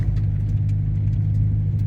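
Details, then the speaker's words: 2022 Subaru WRX driving after adjustable end links that clunked on both sides were replaced with the stock end links: only a steady low road drone with no clunks or rattles from the corners; suspension quiet. "a so here we are doing another drive and as you can hear you hear nothing the stock end links are back on there's no clunking at all"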